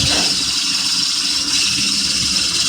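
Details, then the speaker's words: Toyota HiAce idling with constant high cricket-like chirp, usually a worn alternator pulley bearing; no battery warning light shown. "Ah kadalasan sa mga to mga boss ah alternator pulley na yung may umpisa kita pang bernardes eh."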